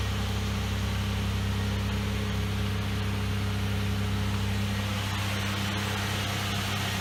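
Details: 2004 Chevrolet Impala after fuel pump replacement; the intermittent pump had left it dead in winter. It fired right up into a smooth, even petrol idle with a steady low hum, no stumbles, ticks or pump whine: healthy.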